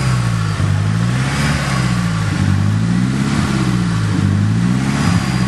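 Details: Nissan SR20DET just swapped in, idling unevenly with a low, wavering, stumbling note after timing was set to 15 degrees; CAS ruled out, engine overheating; cause later confirmed as incorrect ignition timing.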